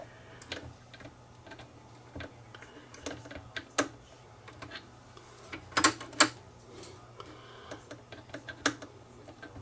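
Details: Akai GX747 two-speed reel-to-reel deck after lubricating the slide, which had grinding at power-up: crisp mechanical clicks over a faint steady motor hum with no grinding, a tape transport cycling normally.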